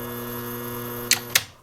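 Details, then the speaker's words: Vintage Marantz 2265 receiver, no audio output: steady mechanical buzz of the speaker protect relay chattering, ending with two sharp clicks at shutoff; bulging capacitors and AC ripple on the relay coil voltage, fixed by recapping the module. "That buzzing noise is the speaker protect relay chattering. If you take a look at the caps on that board, you can see a couple are pregnant. My guess is we have some caps that failed."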